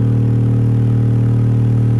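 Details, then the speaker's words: Vintage Realistic STA-235 stereo receiver driven hard into a speaker while RMS output is checked on an oscilloscope (about 16–24.5 V RMS): a steady low tone turns buzzy and harsh, amplifier hard-clipping distortion. "if we turn it down a bit you can hear the speaker is overpowered right about right that's sheesh you can really hard clip this thing"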